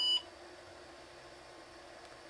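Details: IBM AT 5170 test on the bench with jumpers set for a CGA card, floppy seeking and booting DOS but no video: a single short high-pitched beep at power-up, then near silence; startup warning beep, likely a configuration complaint.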